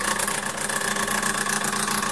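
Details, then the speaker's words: Decent Espresso DE1+PRO espresso machine, about a week old, running a flush to dispense hot water into a glass to preheat it. Steady buzzing hum with a slight pulse and constant pitch, quiet enough to talk over; normal pump operation. "loud as it sounds I can talk in a normal conversation over this now essentially all I'm doing is putting some hot water into my glass so I can preform it"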